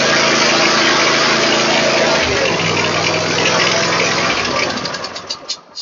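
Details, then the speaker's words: Troy-Bilt mower with Kohler V-twin after throttle cable adjustment so the choke closes fully, fixing long-cranking hard starts: a brief crank, then it catches promptly and runs evenly. "But that's how it should start."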